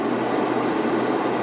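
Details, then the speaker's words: Camper-van inverter cooling fan running loud under heavy load after upgrading to a 280Ah LiFePO4 12V battery on cables sized for 100A: steady airy whoosh, no rattle or pitch change. "It's noisy because you can hear the fan from the inverter."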